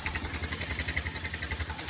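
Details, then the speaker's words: 50 Scorpion motorcycle with a timing chain, idling: loud metallic rattle on each quick firing pulse. Mechanic suspects the timing chain guides, not confirmed. "Y vean, algo que se escucha muy feo es el cascabelero en el motor."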